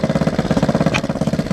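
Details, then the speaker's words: Rebuilt XR100 single-cylinder, warm, idling with choke on: lumpy uneven idle with a sharp exhaust pop; owner suspects slightly off timing or back pressure from a two-stroke exhaust on the four-stroke; idle screw adjustment didn't help. "There is a slight backfire, so the timing could be slightly out, but it could also be because I'm running this two-stroke exhaust on a four-stroke, and the back pressure could be a slight back pressure issue."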